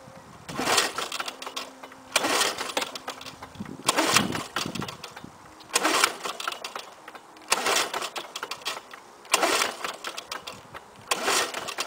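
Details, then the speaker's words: 1984 Lawnboy 4630 mower, F engine, cold start in 15 °C weather, fuel valve open, started last year; seven rough pull-cord rips each dying without a catch; owner suspects bad ignition coil: no-start when cranking. "oh well his tisk probably the ignition coil is bad on it yeah 4630 going to have to look at that one"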